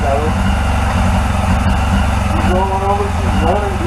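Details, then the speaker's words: 1981 Yamaha XJ750 Seca four-cylinder running after carburetor cleaning, one of its first runs in a long time. It runs steadily on its own with an even, slightly lumpy idle; a nest was blown out of the exhaust. "man i forgot how much i love that four-cylinder song all right she's rolling"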